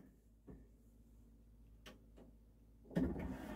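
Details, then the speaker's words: Yamaha CDC-625 5-disc CD changer from thrift store, drawer would not open: a few isolated clicks then harsh, uneven mechanical grinding that continues; tray mechanism binding, cause not confirmed. "Oh my God. Okay, video over. That is making an awful sound. So no, we're gonna open it up. We're gonna service it, see what kind of belt opens this thing up."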